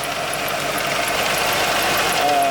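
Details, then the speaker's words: 1986 Ford LTD Crown Victoria wagon, all-original 5.0 EFI, hard to start, hood open: light, fast, sharp ticking about four a second over a warm idle that comes and goes; valve train suspected, separate from the power-steering whine. "But it's got a noise in the engine, and this is what I mean. Listen. And it is hard to start."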